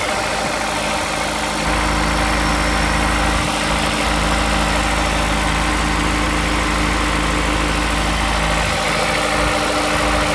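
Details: Honda S2000 at cold start idle: faint repeating tap over the engine note; owner suspects rod knock, not confirmed.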